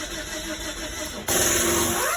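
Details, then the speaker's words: 2005 Nissan Sentra 1.8 that cranks but won't start, with no codes: the starter whirs with an uneven, lopsided cranking rhythm and never catches; timing data point to a mechanical timing fault, and a timing job is recommended. "no start cranking no start no codes all right um the sound that it makes when it cranks I'm going to I'm going to Crank It Up and um maybe you can hear it it's it's real real telling"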